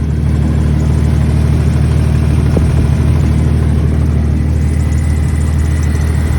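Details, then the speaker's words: 1997 Jeep Grand Cherokee 4.0L with a coolant gasket leak, warm after 15 minutes with bottled leak sealer, still leaking: steady even low rumble at idle with no misses, knocks or surging; engine runs fine. "We'll figure out exactly where the leak's coming from, tear it apart and whatnot, but it still runs good."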